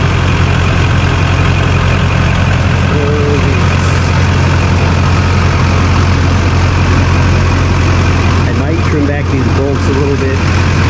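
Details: 2001 LB7 Duramax GMC Sierra crew cab dually, already warmed up, started after fitting a larger transmission oil cooler: a deep, even diesel clatter at steady idle with no misses, knocks or whines. It sounds healthy.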